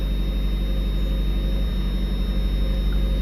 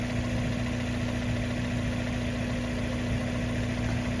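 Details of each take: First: Cold 1994 Mazda Miata idling a little rough just after first start following months stored since October, left idling without throttle to let fuel and oil pressure build; low steady drone with slightly uneven pulse, about four beats a second. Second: 1994 Mazda Miata after winter storage idling smooth and steady, no misses, ticks or hunting; throttle stop, idle speed and timing were recalibrated the previous year.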